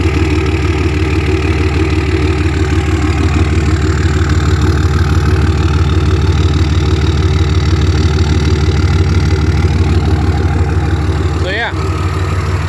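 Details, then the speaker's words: Diesel truck at 251,000 miles idling, exhaust note heard: steady, even idle with a deep exhaust and regular beat about three per second; owner notes a worn throwout bearing, but idle is normal. "And it does have a worn throwout bearing as well, but idle's good and everything. I'll let you guys hear that exhaust."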